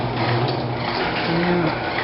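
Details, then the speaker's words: Garage door closing after a tune-up, with the opener just reattached: an even whirr and rolling rumble with no squeals or clunks, a smooth and normal close. "sounding pretty good now"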